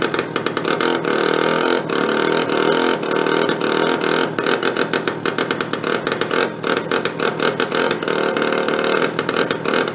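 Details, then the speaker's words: Benelli Andretti M50 scooter, 500 miles, stored long non-running, after refitting the idle-speed adjuster: a small two-stroke running choppy and stuttering, popping in uneven bursts. It won't pick up revs; the problem is not yet found. "so all right we can't get any revs out of it that's our issue it's getting closer though at least"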